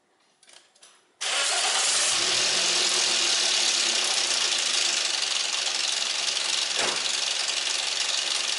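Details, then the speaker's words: 2004 Toyota Yaris 1.0L 3-cylinder petrol engine, started: fast, dry, even ticking clatter at idle sounding like a diesel; suspected excessive valve train play or stretched timing chain, unconfirmed. "let's listen this is castle on engine and this sounds like diesel engine"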